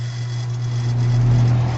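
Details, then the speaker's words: Hallowell Acadia heat pump during fall preventive maintenance, fan contactor pushed in by hand to test outdoor fan motor: smooth, constant low hum with no rattle, scrape or wobble; fan motor running fine. "okay a little bit quieter you can't see my fan but I can hear it running so that's all set"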